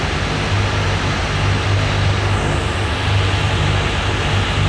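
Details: Brand-new Rotec R2800 radial for a Kitfox on test run, oil and fuel pressure good, run a couple of hours: deep steady drone with even pulse, never stumbles or surges; ran fantastic, made good power, idled smoothly.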